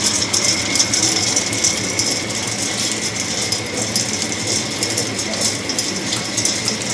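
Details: Axeman-Anderson 130 coal stoker heating a Mahoning 500 wood boiler, one week in, auger restarting to pull coal from the bin: light loose ticking and rattling over steady hum; feed sounds normal, no draft or heat problems.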